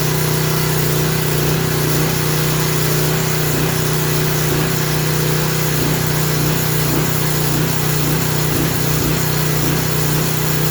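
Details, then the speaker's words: Craftsman 3000 psi pressure washer engine running unloaded after carburetor reinstalled, low drone rising and falling; surge expected to stop under water-pressure load; oil had been overfilled to the top of the dipstick. "that surge will stop when the surge will stop when you load it up with some water pressure."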